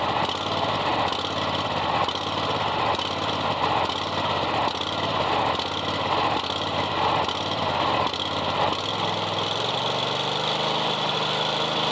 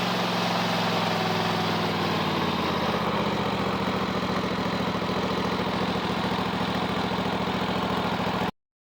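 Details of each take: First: Kohler 7000 series mower engine at low idle hunts up and down in speed; it doesn't surge at high idle. Likely a dirty carburetor after the mower ran out of gas; the fix is carb removal and cleaning. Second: Kohler 7000 series mower engine that surged at low idle (not at high idle) after running out of fuel: after the carburetor was removed, cleaned and refitted, it holds an even, steady idle with no surging, then shuts off.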